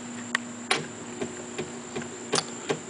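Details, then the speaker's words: Reel-to-reel tape machine running in forward without tape: steady low hum, faint high whine and irregular soft clicks; take-up reel does not turn (owner unsure if it should without tape) and rewind doesn't work, cause unknown. "on this machine, I don't know if that's supposed to rotate or not. Maybe it just rotates with tape. Rewind also doesn't work."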